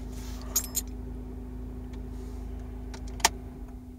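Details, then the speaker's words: 2005 Honda Accord coupe idling with a persistent whistle near the intake manifold/throttle body: a steady low hum lingers about a second after switch-off, then dies. Three mechanics found no cause yet. "quiero que presten atención cuando lo apago tarde como un segundo el sonido en quitarse"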